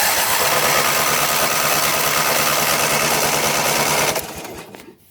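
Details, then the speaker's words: John Deere GT225 lawn tractor: cranks steadily about three pulses a second, then winds down without firing. "this one won't start either uh i freaking give up"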